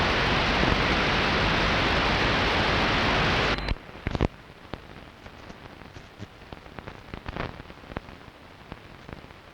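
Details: Long-wave radio reception at 01:34 UTC, DSL modem and router off, not from the recorder's home: loud steady hiss cuts out leaving irregular sharp crackles and pops over quiet static; interference from unknown source.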